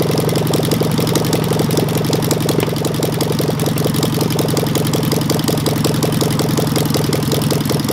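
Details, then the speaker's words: Engine with a Solex 30 PICT carburettor after the faulty kit needle valve was swapped back to the original, timing close: steady idle with an uneven beat and pulses dropping out. Still misfiring; a valve problem is suspected, not confirmed. "you're not far out with the timing yeah she's popping somewhere but i'd say some of it could be valve problem"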